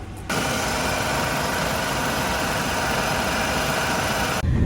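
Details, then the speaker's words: Supercharged used car at idle, with vibration noted: steady rough idle with dense buzzy rattle. Buyers suspect motor mount, as with a similar car; mechanic thinks it is not expensive to fix. "As you guys can hear, it's got the little noise. Jimmy doesn't seem to think that, you know, it's anything that would be too expensive to fix, just as long as we got enough room in it to wiggle."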